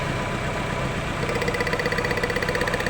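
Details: Chevrolet Lova with a rough, powerless engine and a mud- and rust-clogged fuel pressure regulator: lumpy idle pulsing about four a second. Pulling cylinder four's lead changes nothing though its coil sparks; leaking injectors cause the misfire.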